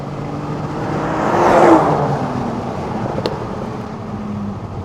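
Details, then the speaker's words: Ford Mondeo ST220 3.0 V6, abandoned, recorded from the roadside as it drives past: smooth, even engine note builds and fades, no knocks or rattles; healthy, normal running. "it does sounds lovely beautiful doesn't it"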